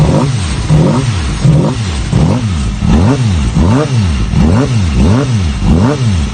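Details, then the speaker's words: Mini buggy crosskart engine (redline 15,000 rpm) on its first start, cold; it starts quickly, then repeated throttle blips to only about 3,000–4,000 rpm rise and fall cleanly and evenly before it dies on its own. Normal cold start and revving. "That was a pretty good start. And that sounded really good. I wasn't revving it very high because it is cold."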